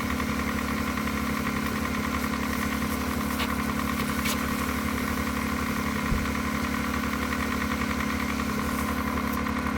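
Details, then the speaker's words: Jetta after clutch install, running about 45 minutes: even, settled idle with a smooth steady beat, earlier lifter ticking gone; engine sounds healthy, normal idle. "but she's alive and so far I didn't go it's been running for like 45 minutes that's the good news"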